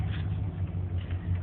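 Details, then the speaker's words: 1994 Chevrolet K1500 4x4, 5.7 throttle-body injection, about 26,000 miles on reman long block, warm day: deep, lumpy idle wavering in strength, barely running; hard starts and stalls until warm, fixed by replacing engine coolant temperature sensor. "but I'll show you what it does with the it's idling really rough it is keeping running right now probably because it's pretty warm days today"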